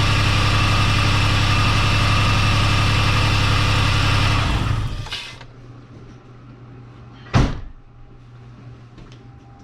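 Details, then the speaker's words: 2010 Dodge Grand Caravan 3.8 L idling after new front spark plugs, new wires and a new ignition coil: fairly even pulse with a slight lumpy beat before shutoff; the multiple misfire seems fixed but cylinders 3 and 6 still misfire. "as far as the uh multiple cylinder misfire i think that's taken care of as i stated before replace the front plugs and brand new wiring we got the new ignition coil on uh still having issues number three and six"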